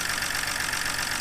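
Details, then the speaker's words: BMW E90 at idle on a cold start with engine covers off, after being rescued from a bad shop: a fast, even, light diesel-like ticking over a mostly smooth idle. The owner is unsure whether it needs lifters and says it sounds like these engines all do. "I don't know if it's worth doing lifters on or not it kind of sounds like these all sound"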